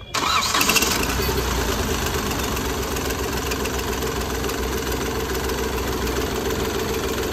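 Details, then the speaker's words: Hyundai Grand i10 diesel with Delphi injectors, previously hunting, knocking and slow starting: after injector repair and refit, cranks briefly, catches at once, then settles into an even diesel idle clatter with no stumbles. "बिल्कुल engine smooth खड़ी हो गई silent है बस बस बस बस करिए"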